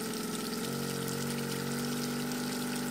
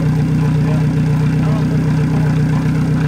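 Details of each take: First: Newly fitted Yamaha 90hp four-stroke outboard (swapped in for a 60hp two-stroke), run with water hooked up on first start, holds a steady high drone with fast revs that never drop to idle over water splashing; misadjusted throttle linkage causing high idle. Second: Yamaha 90hp four-stroke outboard on an 18ft G3 boat, replacing a 60hp two-stroke, after the throttle linkage was adjusted to fix revs that stuck high in neutral. Steady, even, smooth low idle with no misses or knocks; normal idle.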